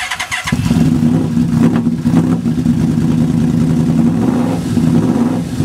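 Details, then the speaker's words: Yamaha Vmax with stock CV carbs converted to injector throttle bodies, totally cold start after sitting overnight: brief crank, catches at once and settles to a steady, even idle at 1,000 rpm; normal cold start. "so as you can see that has started right up and that is now running it's at 1,000 RPM"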